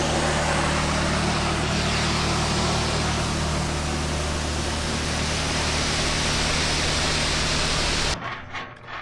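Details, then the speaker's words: Car wash bay 3 pressure washer with a reported leak, before repair: steady loud pump drone with a strong hiss of escaping spray until shutoff; leak in the steel-braided high-pressure hose. "Okay, so let's fire it up and see what where we got our leak at. Sure do, don't we?"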